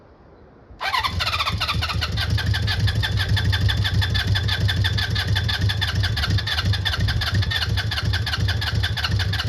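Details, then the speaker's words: Honda CB400F Super Sport, off the road since 1983, first start after restoration with choke off: catches straight away, then a slightly lumpy uneven idle; the owner suspects it is not running on all four cylinders and carbs may need balancing. "Might want a bit of balancing. Not too sure it's not 100% running on 4."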